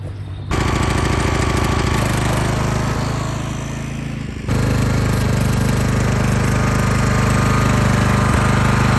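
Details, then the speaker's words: Lawn mower at idle: fast single-cylinder chugging sags and slows, then jumps back up after about four seconds, a surging, hunting idle. "So, as you could hear, this thing kind of idles like buns."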